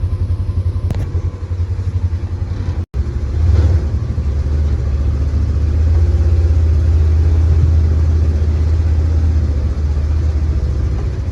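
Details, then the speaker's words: Polaris Ranger 900 XP side-by-side after repair, driving in high range: deep even engine rumble holding steady under way, no rattle or tapping; previously hard starting with a loud motor noise, now sounds way better. "all right we're in H [Music] sounds good it sounds way better"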